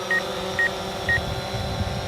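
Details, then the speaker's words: DJI Phantom 4 Pro powered up close to people: short, high beeps over the motor hum from the rear obstacle sensors. The proximity warning appears to be set for a fairly long distance. "so you hear that beeping that's it uh saying hey I'm going to hit something and it's must be set for uh pretty far away"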